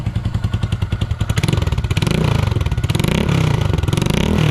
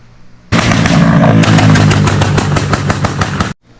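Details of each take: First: 2022 Honda Grom just fitted with a cheap Amazon aftermarket exhaust, baffle in, at startup and idle: quick, even exhaust pulses with a couple of clean blips, quiet, steady note; small single running healthy. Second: 2022 Honda Grom with a tune that makes it backfire and blow flames: loud, sharp pops about four per second for three seconds. Every exhaust hanger has broken off.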